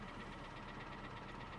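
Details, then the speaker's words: 2017 VW Golf at an auction, idling with max AC on after gear checks: a faint, regular knock of about eight or nine taps a second that never quiets down. Cause unknown, and the car was passed on. "but that noise is not that noise is not quieting down at all so so let's shut it down and walk away from this"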